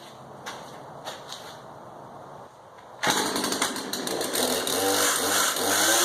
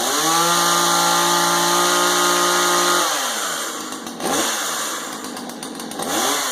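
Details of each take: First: Husqvarna 240 X-Torq chainsaw being fitted with a new clutch drum assembly, damaged sprocket noted: after a quiet start it runs loud and raspy with a scratchy scraping edge; source not yet found. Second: Husqvarna 240 X-Torq chainsaw after replacing a chewed-up, bad clutch drum assembly: strong steady high-revving buzz, clean drops and quick re-revs on throttle blips, pulling evenly; running normally and healthy with the new clutch assembly.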